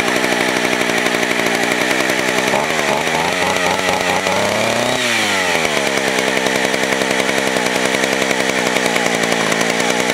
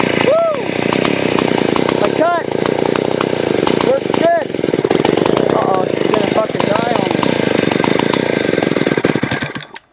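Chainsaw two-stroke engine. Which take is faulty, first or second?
second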